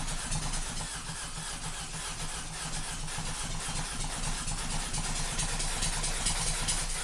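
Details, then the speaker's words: 2012 Mini Cooper S Countryman, before catalytic converter declogging: petrol engine stumbles and shakes unevenly, several cylinders misfiring, barely stays running; a clogged catalytic converter suspected, not confirmed. "I'm not going to have it running for very long just because of how bad it is. But this will show you how bad the misfire is, and then when I do the cat declogging, I'll be able to have a comparison and we'll see how much better or worse it sounds."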